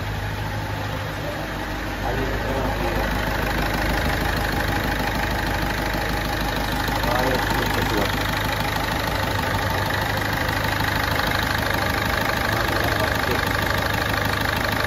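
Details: Ford Fiesta 1.4 TDCi diesel, 2006/2007, Durashift, 226,160 km, after a full engine rebuild with cylinder head and bearings for oil burning and smoke even at standstill; steady even idle clatter with no knocks or stumbles.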